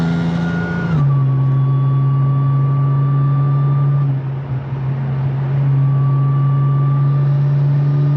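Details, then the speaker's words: Audi S4 B8.5 driving after shop replaced worn wheel bearings (~100k miles): smooth, even engine drone through gear changes, no hum, growl or rumble building with road speed; bearing noise gone, normal. "Better. That sound is gone, thank God."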